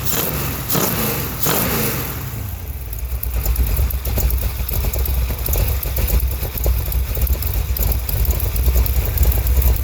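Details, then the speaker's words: 1971 Chevrolet Cheyenne, factory big-block 454 V8 on Jegs Bandit EFI, first start, cam believed broken in, rear jacked up; lumpy idle with sharp puffing tick on every firing pulse. Header leak at number two cylinder. "I got a header leak on this uh number two cylinder"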